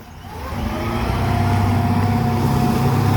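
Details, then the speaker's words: Volvo Penta sterndrive Chaparral after repairs, dual props, warm at 165°F, full throttle with trim raised from fully down: pulls up to a steady roar with even low drone, no misses or knocks; healthy under load. "that's Full Throttle now he's bringing the trim up and we're going to start seeing some RPMs and throw the water up"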